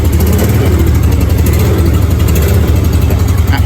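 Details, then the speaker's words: Aging Yamaha Nouvo Sporty automatic scooter, not yet roadworthy, just started on a worn ignition switch: steady low throbbing idle, uneven. "Su mati. Ya, cuma sekali doang. Selah, weh. Mati meneh jidul."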